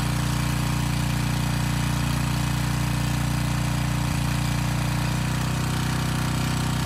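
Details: Briggs & Stratton Storm Responder generator repowered with a 10 HP Briggs engine, under load testing: steady governed drone with a fast, even chatter from the starter assembly rattling on the engine, not the engine itself.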